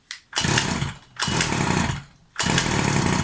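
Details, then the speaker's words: New Rovan Baja 5B RC car petrol engine: snarls in three short bursts, sagging and burbling between instead of picking up clean; low-end needle too rich, overfueling wetting the spark plug, fixed by closing the needle a bit. "maybe a little bit of overfueling right this is it so the low end needle was a little bit too rich so what it was happening is it was killing the spark plug was making it too wet so I just closed it up a bit"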